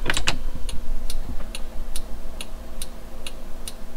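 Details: 2002 Toyota 4Runner after LED conversion, with the adjustable flasher relay tuned to fix hyper flash, engine idling: crisp, evenly spaced relay clicks at about two per second. Normal hazard flash rate.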